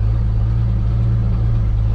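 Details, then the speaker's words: Truck yard runner (brakeless), carburetted, started after fuel dumped in carburetor, more gas added and battery jumped; steady deep engine rumble holding while rolling through yard, no misfires or surging; normal running. "well obviously as you can hear we got this thing running i had to dump a little bit of fuel in the carburetor and uh added some more gas because i just don't think i had enough in there"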